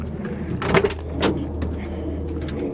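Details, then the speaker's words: 1973 Chevrolet Camaro with the 350 V8 idling: window rolled up and down with soft sliding strokes over a low engine hum, no squeak, creak or grind; the regulator makes no noise, normal window operation. "Window up and down. This one doesn't make a noise when you do it."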